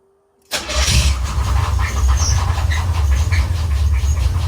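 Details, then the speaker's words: Box Chevy Caprice SBC Vortec 350 (700R4) started after reassembly with the heat shield on: the V8 catches into a deep rumbling idle with faint brief high chirps. Owner thinks it's a pulley and says it's still not right. "Sound a little better. They got a little chirp. I think it's that pulley. Gotta be that pulley."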